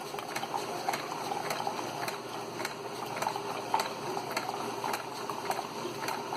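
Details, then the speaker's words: Keurig 2.0 K300 brewer after repair of no-pumping fault: mechanical pump cleaned, coffee grounds cleared from a tube, descaled with vinegar; steady watery gurgle and pump hum with soft irregular ticks, no strain or rattle, brewing normally. "You can see that pump working away down there. There it is, pumping away. This thing's working awesome now."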